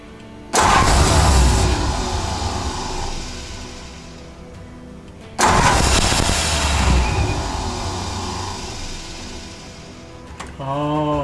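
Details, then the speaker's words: 1949 Ford truck (Vortic project), first start attempt with the exciter wire jumped from the starter solenoid to the coil: two cranking bursts flare briefly and fade without idling; ballast resistor suspected of too much resistance, next step is 12 V direct to the coil. "it doesn't like that it doesn't like that excite so that ballast resistor might be have too much resistance that's what's causing that"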